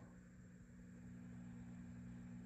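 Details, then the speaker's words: Swart AST Pro tube guitar amp with everything off: steady low mains-pitch buzz with higher steady tones; power-line hum partly exacerbated by reverb circuit, suspected tubes or anything from phase inverter to wall, unconfirmed. "So with everything off, we're getting some power line hum. So that could be tubes and anything from the phase inverter onto the wall."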